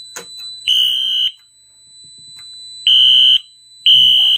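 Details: Radionics D7022 mini fire alarm demo board re-alarmed by magnet-testing a smoke detector: loud, high horn blasts about half a second long repeat with short gaps. Horns sounding normally.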